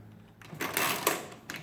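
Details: Rebuilt Marchant KE mechanical calculator doing an addition and subtraction (67 minus 8). Short burst of crisp mechanical clatter as the carriage cycles, clean and unhesitating, correct result. Normal operation.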